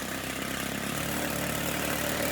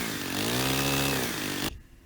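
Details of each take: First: Stihl FS90 trimmer two-stroke buzzing fast and steady at idle, high enough to keep the trimmer head spinning; idle speed set too high, idle adjustment screw turned counterclockwise until the head stops. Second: Stihl FS90 trimmer at full throttle, trigger pulled, while the H (high) carburetor screw is set to the full-speed sweet spot; loud, steady high-revving two-stroke buzz, pitch swelling then cutting off. Normal full-throttle running.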